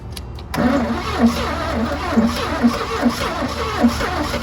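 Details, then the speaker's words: 1986 GMC Sierra engine with a new distributor, with a little gas in the carburetor and possible backfire; starter churns steadily with sharp firing pops that never catch: close to running but fuel starved. "She wants to so bad. She wants to so bad, guys. I mean, talking about it's it's so close."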